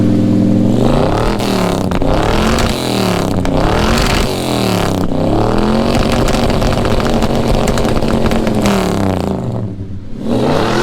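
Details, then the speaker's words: Ford 302 V8 after a very rough tune, described as nice and crackly with a better idle than before. Crisp blips rise and fall cleanly with the throttle, with no misses or backfire pops: normal running. "She sounds nice and crackly. Sounds better. Idle's better than it did."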